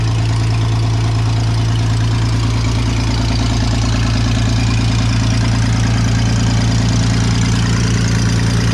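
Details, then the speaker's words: Vintage Scoopmobile LD5P articulating loader (thought late 1940s–early 1950s), revived after at least 15 years sitting; deep, even idle with steady low drone and regular firing pulses, no knocks or misses; runs surprisingly well, antifreeze leaking, hoses rotted. "Man, I can't believe how good that runs."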